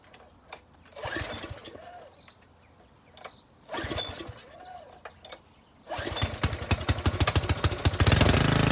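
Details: Pressure washer engine on full choke after a spray of carb cleaner: two short cranking pulls without a catch, then it fires and runs on rapid, even pops. This is a normal first start.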